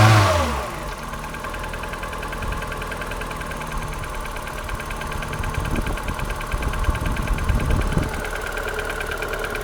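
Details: Polonez Caro with the 1.4 K16 petrol engine idling cold in the morning at about 0 °C: a soft, fairly faint knock from piston slap.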